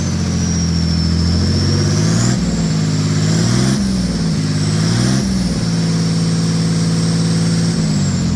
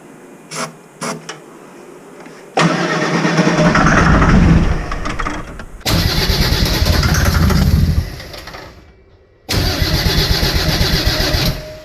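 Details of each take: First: Mercedes OM603 diesel in a Ford Ranger (Doomsday Diesel adapter, ZF5 transmission), after first start and brief warm-up, good oil pressure: even clatter climbing smoothly with each throttle blip and settling back cleanly; healthy engine revving. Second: Mercedes OM603 diesel in a Ford Ranger with ZF5 transmission, first start attempt after sitting, no glow plugs, starting fluid down intake: three long sluggish cranks about three turns a second, never catching; dead battery, owner thinks it would start otherwise.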